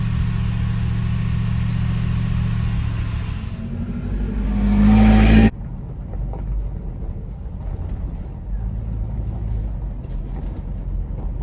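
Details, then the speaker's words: 1974 Jensen Interceptor, Chrysler Mopar big-block V8, on first startup after hydraulic lifter (tappet) replacement: steady, even idle rumble. The earlier valve tapping has gone as the lifters fill with oil. "well that valve noise this tapping noise has just gone just have to see what happens there in the next 25 minutes"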